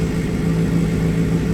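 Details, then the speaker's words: 2007 Suzuki GSX-R 750 rebuild revving smoothly after a replacement fuel tank was fitted; the earlier failure to hold idle was traced to bad fuel. Steady, even note at raised revs with no misses or stumbles; normal running. "That's a good start. Bike sounds like it's running a lot smoother."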